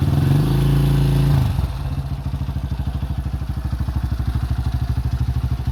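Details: 2005 Honda CRF150F after valve adjustment and carburetor tune-up (previously would not start, a carb issue), during carb adjustment: after a brief rev, a slow even thump settles at roughly three beats a second. A clean, healthy idle.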